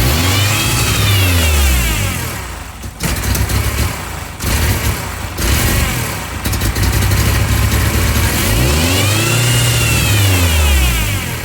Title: massive vacuum leak on 99. Ford ranger 2.5 July 5, 2024